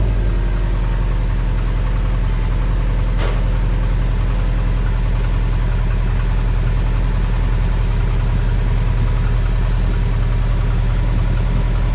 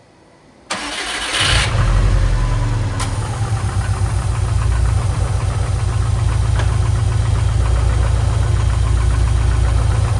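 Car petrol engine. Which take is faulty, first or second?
second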